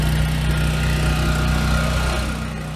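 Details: 7-year-old Husky generator, Subaru EX30 engine, after carburetor rebuild for no-load surging: even steady drone with low constant beat, no hunting under two 1500 W loads; holds speed smoothly.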